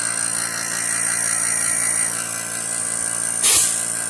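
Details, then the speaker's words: PC fans after troubleshooting adjustment: steady, even high whir with constant tone and one brief knock near the end; now running smoothly, much better than before. "Oh yeah. It's working. It's finally working."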